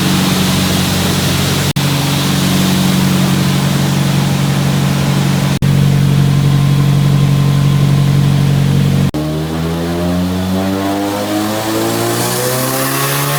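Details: Nissan 180SX Type X SR with TD06 20G turbo and 3" stainless dump pipe, under load on the dyno at 15 psi (255rwkw, injectors maxed): steady, even drone, then revs climb cleanly with no misfire, knock or hesitation; the engine runs normally.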